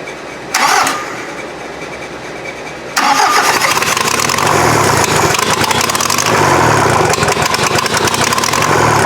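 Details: VW diesel in an offroad Mazda: cranks, catches after about three seconds, then runs loud with an uneven lumpy beat; injection pump still needs tweaking, smoke may mean head gasket.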